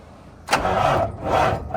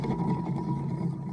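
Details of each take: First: Kenworth T600 diesel semi after a new alternator and belts: a few quick cranking pulses, then it catches and settles into an even, steady low idle with no knocks or whine; charging near 14 V at low idle versus about 12 V before. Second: Kenworth T600 semi alternator removed and spun by hand: rough, gritty rumble with a faint steady whine; bearings badly worn, alternator replaced.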